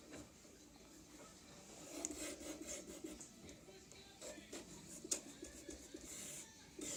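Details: Anet E10 3D printer: dry, gritty rasping and rubbing as an axis travels, scratchy bursts over a hiss; worn linear bearings suspected, not confirmed.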